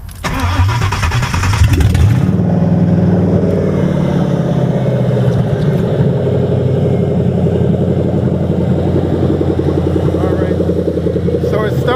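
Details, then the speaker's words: Crown Victoria after replacing bad number eight plug and suspect wet wire: cranks, catches, then uneven loping idle that surges and sags and shuts off; owner suspected something else bad, cause unconfirmed. "but here it will shut off just runs like loping and it turns off when I was sitting here right"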